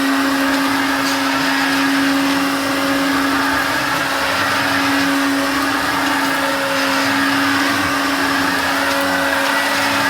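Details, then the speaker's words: Hoover Turbopower Junior U1222 vacuum cleaner, bearings never changed: steady high whine with rough gravelly edge at constant speed; worn motor bearings, still works, needs new bearings. "As you can see, it still works very well indeed. New bearings on the motor will sort that one out a treat."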